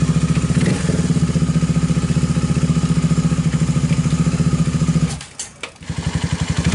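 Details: Viar 150 single-cylinder motorcycle after repair of a loose cam chain whose valve had touched the piston: steady, even thump at about 220 beats a minute with a short throttle dip; smooth, normal idle.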